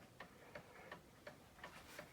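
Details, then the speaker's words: Seth Thomas pendulum clock circa 1875, movement just reinstalled and running without a face on a fairly level table: crisp ticks about every third of a second, tick and tock evenly matched; in beat without bending the crutch. "Man, that thing sounds good. Tuned up already. I didn't even have to bend the crutch or anything."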